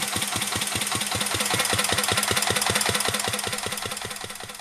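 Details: 1949 Petter A1 air-cooled single-cylinder stationary engine driving a homemade "Bitsa" generator: crisp, even beat at about 150 per minute, sharp and steady under generator load; the old engine runs sweetly, normal running under load.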